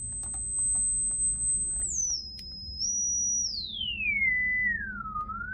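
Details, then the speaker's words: Klipsch RP-280F crossover filter alone (customer reported no treble), test speaker on tweeter output, smartphone mic: sweep down from very high pitch comes through cleanly; treble present, tweeter output works, crossover apparently near 1500 Hz. "Bon, vous l'entendez, si je déconnecte l'enceinte qui est raccordée sur la sortie Twitter, forcément je n'ai plus d'aigus, mais là j'ai des aigus."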